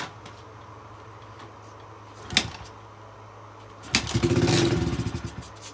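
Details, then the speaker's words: Old carbureted dirt bike, fuel on, before idle screw adjustment: fires and revs briefly then sags and fades within two seconds; won't hold idle, fix is the carb idle adjustment screw. "so that basically means the idle just isn't there"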